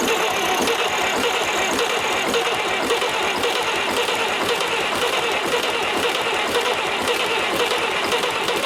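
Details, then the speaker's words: 70-year-old International 275 diesel tractor with refitted injectors; uneven chugging crank at about two strokes a second with odd coughs, starter slowing from a weak battery. "now I can hear the starter slowing up so I'm going to rather than hammering the battery I'm going to put the charger on the battery for a short while"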